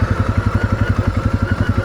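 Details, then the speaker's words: Segway Snarler AT5L 500cc quad descending a steep green-lane hill: quick engine thump with thin steady CVT gearbox whine while engine braking; normal. "You can hear the CVT gearbox whining there. It's giving me engine braking cuz again, this is quite a steep hill just coming around this way."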